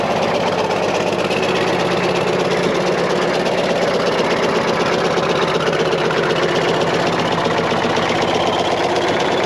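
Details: Caterpillar 977L with a 10.5L CAT diesel and good oil pressure: a sharp, regular knock about four per second at idle; an injector knock is suspected but not confirmed.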